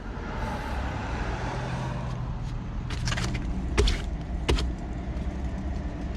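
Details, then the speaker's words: 2010 Citroën C1 rear wheel spun by hand before hub replacement: a low, steady roaring sound from the worn rear wheel bearing hub. "That's the the sound on worn bearing. I'm hoping you can hear this roaring sound coming from the worn bearing."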